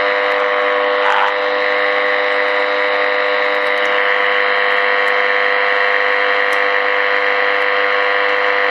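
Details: Early-1950s HMV Little Nipper Mark II valve radio powered on after a repair attempt: only a steady buzzy hum, no stations; local oscillator dead, owner suspects the oscillator coil.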